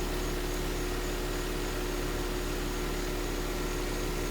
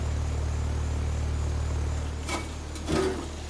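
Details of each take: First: Carrier heat pump outdoor unit, up and running and cooling: steady even fan rush over low electrical hum, no rattles or surging, normal running. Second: Carrier heat pump outdoor unit, no-cooling call: steady low "death buzz" hum for two seconds then drops out, compressor stalling on a failed 40/5 run capacitor left loose in its box.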